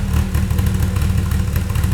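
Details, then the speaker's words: Toyota 2.7L 1AR-FE in MR2 Spyder on Haltech Elite 1500 ECU, 280-degree cams, warm, idle target 1500 rpm, intake advanced 30 degrees: loud lumpy loping idle with choppy beat; rough idle from excessive valve overlap. "so you can you can hear quite a bit of overlap already that was a bit too much overlap apparently"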